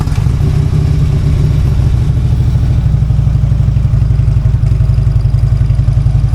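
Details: Harley-Davidson V-twin idling just after a new part was fitted, not yet tuned, started to compare with the earlier sound: deep, loping potato-potato idle with a steady low rumble and no knocks or misses; normal idle.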